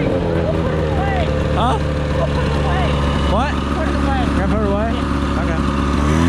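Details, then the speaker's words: 1978 Polaris Cobra 440 two-stroke snowmobile, abandoned 20+ years, running on concrete: steady, even drone at constant speed with no misses or knocks; running cleanly. "it runs great guys it's so much fun"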